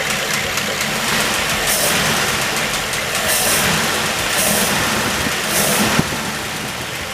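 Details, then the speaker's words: 1934 Ford dually truck just after a Stromberg 97 carburetor rebuild for a failed accelerator pump: steady, even idle with a smooth rhythmic putter and no stumbling, misses or popping; sounds really good; normal idle. "That sounds good. That sounds really good."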